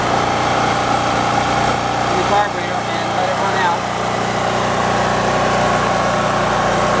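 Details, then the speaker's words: Portable generator in a converted van, started with choke, choke off after a minute, idling; its fuel has always had stabilizer. A smooth, even, quiet drone holds constant speed with no misses, surging or knocks. "and as you can hear, it runs very beautifully. Nice, quiet generator, works just fine."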